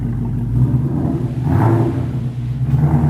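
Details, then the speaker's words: S550 Mustang GT V8 with new JLT cold air intake and Palm Beach Dyno E85 tune: low steady rumble swelling into a loud whooshing roar on throttle; normal revving with pronounced intake sound. "Oh, you can hear that intake. All right, that's a wrap."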